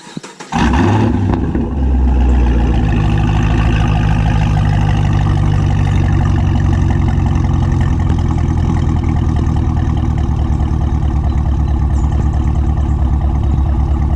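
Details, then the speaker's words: Modified Camaro SS V8 whose owner noticed a slight torque drop, cause unknown; cranks and catches quickly, then a deep, steady, even idle with no miss or lope: normal idle. "I just want to show you guys he doesn't necessarily have a rough idle, but I at least want you guys to hear what he sounds like. He sounds pretty normal."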